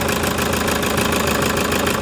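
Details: Toyota Hiace diesel with engine vibration and knocking, injectors possibly involved. At idle, a steady, fast knock rides over the run with some shake; the cause is suspected, not confirmed.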